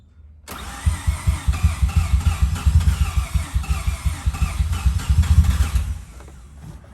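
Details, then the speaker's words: Mazda RX-7 FD rebuilt rotary, MAP sensor hose just reconnected to upper intake manifold: catches after short crank then stumbles in uneven, lumpy pulses, sounding like running on one rotor. Finding: rough running. "hey i mean it's running it's running terribly i don't know why but be that honest"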